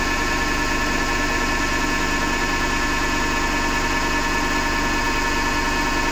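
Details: Hotpoint Ariston FMD963 washing machine with a steady, rough grinding roar under a constant hum; the owner suspects the motor rather than the drum and plans to take the belt off to test.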